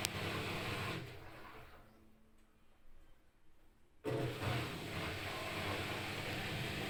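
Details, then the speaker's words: New front-load washer spinning smoothly with an even hum and no thumping after fixing the earlier vibration: machine levelled by adjusting its feet and transport bolts removed. "oh the machine is stable no vibration because it's a well balanced stable"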